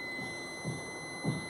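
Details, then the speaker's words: Electrolux washer, already full of water, on pressing start: steady high electronic warning tone while two lights keep blinking and it won't run; a technician blamed the control board, not confirmed. "le pongo iniciar y vuelve a hacer ese ruido y ya no nada más se quedan parpadeando dos foquitos"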